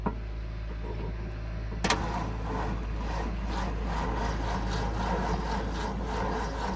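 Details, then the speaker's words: Ford F-250 with 390 V8, 180k miles, sat about six months in cold Iowa winter, on a jump pack with carb cleaner sprayed in: sluggish, low-pitched, even cranking drone that never catches; cranks very slowly, fuel pump only beginning to deliver fuel. "tell she just cranks real slow"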